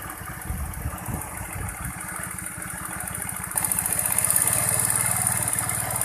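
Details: Honda Vario 110 that stumbled on first pull-off (low-rev) with mid and upper revs fine; after carburettor, valve, ignition and air-screw adjustment it idles with small even single thumps, firming and getting louder, no stumbling or dying out.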